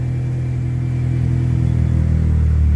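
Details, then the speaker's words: 1995 Eclipse just fitted with a new clutch: engine revs up smoothly, gears click in, but the car won't move, feeling locked up; owner suspects the master cylinder, cause unclear. "if I'll move it again nope see what I mean I have no clue what's going on and why it's doing that I think it might be my master cylinder"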